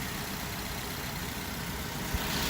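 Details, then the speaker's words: 2013 Mazda 3, 2-litre four-cylinder, 102,607 km, idling during a pre-purchase inspection; smooth steady even hum, no ticking, knocking or misfire, running as it should. "But it does seem to run pretty smoothly. There's the 2-liter 4-cylinder. Running just as it should."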